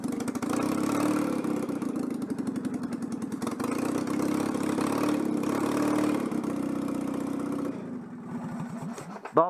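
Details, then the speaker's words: Citroën 2CV after fitting a centrifugal clutch, quick test with temporary ignition wiring: uneven, stumbling run with irregular, lumpy firing pulses that never settle; engine running badly from an intake air leak. "une fuite d'admission c'est pour ça que le moteur tourne très mal"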